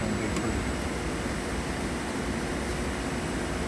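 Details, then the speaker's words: Trane XC95m TUHM modulating furnace at high fire during gas valve setup, with the door off so the air noise is loud. Steady rush of air with no knocks, rattles or squeal: normal high-fire airflow. "furnace is going to get loud without the door on it. So, that air noise is"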